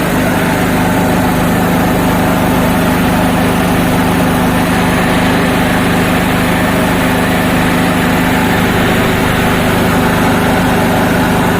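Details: Honda GX240 petrol engine runs steadily with an even, unbroken exhaust note and no misses after being restarted; it had died suddenly and been hard to start after sitting unused for days.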